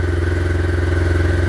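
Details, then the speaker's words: 2007 Yamaha Phazer snowmobile, weak battery, started after priming fuel via ECU diagnostic mode: fires right up and idles at once with steady even thrum, no misses or knocks; normal idle. "we're gonna crank it up [Music] fires right up idles right away"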